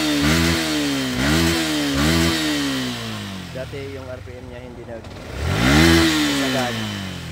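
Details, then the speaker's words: Sniper v2 motorcycle after replacing fuel filter and fuel pump IC to cure fluctuating fuel pressure, misfire and hesitation: engine blips cleanly and revs freely, throttle and RPM now responsive, fuel pressure stable. "Yan responsive responsive na yung kanyang throttle at RPM."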